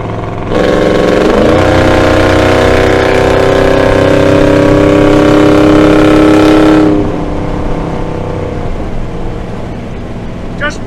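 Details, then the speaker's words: 1975 Dodge D100 hot rod with Holley Sniper EFI, wide-open-throttle freeway acceleration. The engine pulls hard with pitch climbing smoothly to about 4,000 rpm and over 85 mph, where it earlier limited near 3,500. No stumble; clean acceleration. "little test I think I did it actually revved up about four thousand um so it was before it was kind of limiting at like 3500 and I got up above about 85 on that little acceleration right there"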